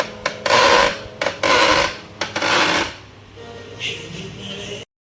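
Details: Canon LBP2900 laser printer while printing: three harsh rasping bursts about a second apart, then quieter running; grinding from the motor gear drive, cause not pinned down.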